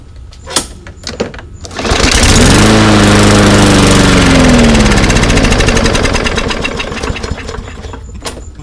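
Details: Yard Machines mower, old gas drained, carb cleaned, fresh gas and primed: a couple of pulls, catches and roars briefly then dies; dirty carburetor or undersized jet suspected, not confirmed.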